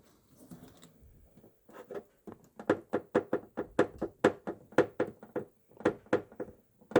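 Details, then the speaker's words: Volkswagen ID.4 rear wheel arch and boot area, with the right side worse: a run of hollow, uneven thunks about once a second, ringing like plastic tubing, from a loose panoramic roof drain tube knocking; the fix is to secure the drains. "Если кого-то беспокоит стук со стороны задних колёсных арок или в багажнике, смело можете разбирать и укреплять дренажи панорамной крыши."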